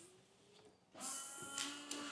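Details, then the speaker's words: Peugeot wipers after swapping chopped, misrouted loom wires back over: faint motor whir with soft blade sweeps at low and high speed, then parks; normal wiper operation. "I mean, it's basic wiring. Peugeot wiring at that. There we go. Low speed, high speed, parks, does everything."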